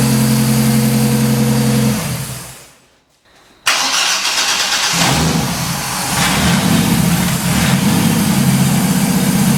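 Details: 1983 Ford Fairmont Futura, turbo Vortec 4200 DOHC VVT inline-6, start after ECU trigger fix (rising to falling edge): cranks, catches cleanly, settles into even, steady idle with no misses or knocks; normal start and idle.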